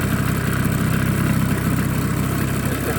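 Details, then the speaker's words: Small live-steam engine (Wilesco D6 or Mamod Minor) with lit burner, steam building up: steady low chuff and hiss at an even pace, no knocks or stumbles; normal running. "It's like listening to the kettle boil. You can hear there's something going on in there."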